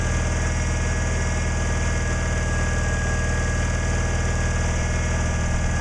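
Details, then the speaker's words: Cub Cadet 1862 garden tractor, running premium gas with Sea Foam, low on fuel: steady low cranking churn that never catches; owner suspects flooding, unconfirmed. "all right well let's see if she'll crank over that sounding better come on might be flooded"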